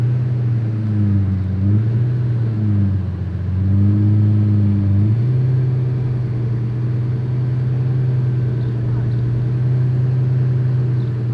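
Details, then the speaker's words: Lamborghini Diablo 6.0 V12 after diagnosis and repair of a check engine light: a deep, smooth idle with gentle rev blips, running healthy. "sounds good idle sounds great"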